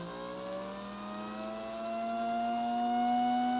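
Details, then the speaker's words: American Flyer Royal Blue locomotive motor after cleaning and lubrication: smooth, even whir climbing steadily in pitch as it winds out fast, no grinding or rattle; healthy free-running motor. "Yeah, it sounds like it wants to take off."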